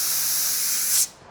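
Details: 79-year-old airplane engine, abandoned over seven years, during a compression test: steady hiss of escaping air for about a second, then cut off; low compression.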